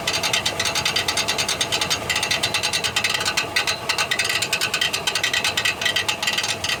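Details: 1999 Chevrolet Silverado 1500 4.8 4WD cranking: rapid metallic ratcheting clicks in bursts, about two a second, with no engine catch, as the bad starter Bendix drive bounces off the flywheel.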